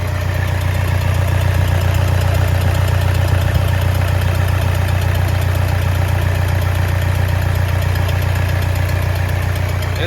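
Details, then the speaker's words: 2010 Toyota Innova 2KD diesel, first start after combustion chamber cleaning and fuel priming, hard to start and needing a jumped battery: steady, even idle with light regular clatter and no stumble; running normally. "Ini sudah hidup ya, Teman-teman. Nanti kita coba pantau lagi. Ini sudah normal."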